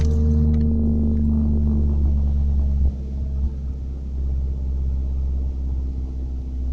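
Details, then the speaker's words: 1991 Ford Ranger, fuel pump on a kill switch, just restarted: steady low drone about three seconds, then pitch sags and wavers lower and stays there; owner wonders if transmission is slipping, says it has been doing this. Engine speed drops while running. "Okay, and I don't know why it's doing this either. Is that what it's slipping gears, the transmission? It's been doing that"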